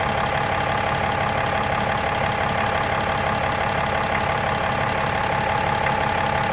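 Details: Brand-new 2018 6.7 Cummins diesel at idle: steady idle with a faint uneven tapping rattle, about three a second, over a constant whine. Random knock or ping at idle, cause unidentified.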